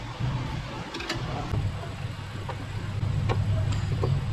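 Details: Quiet idle with an irregular stumble and faint ticks; continuous misfire on cylinder 1 (P0301) with blinking check engine light, traced to a failed ignition coil rather than injector or compression.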